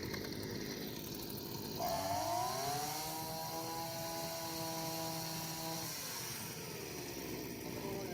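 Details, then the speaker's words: Brush cutter two-stroke with carburettor jet deliberately turned out of adjustment by half a turn or more: note climbs then sags and wavers, the engine choking and lacking power compared with correct settings. "So, the brush cutter is choking. It doesn't have enough power."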